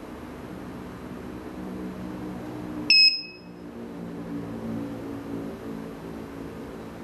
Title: Alarm System Beeping Sound?